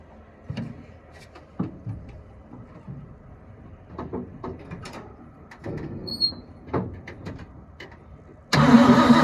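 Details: 1972 Ford F-350 auction truck on a chilly day, bowls full: uneven cranking with brief sputtering catches that die out, then a loud burst; not pumping fuel, and a frozen part found afterward likely needs penetrant.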